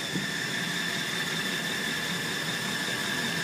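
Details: 2006 Dodge Ram Mega Cab 5.7 Hemi, warmed up at idle with the belt removed: constant thin high-pitched squeal, loudest at the first exhaust joint next to the transmission and unchanged with speed. Source unknown.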